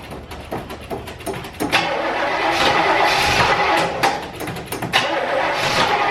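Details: Car with a weak battery, started using a NOCO Genius Boost Pro jump starter: a few slow uneven cranking turns, then the engine catches and settles into a steady run; normal engine start.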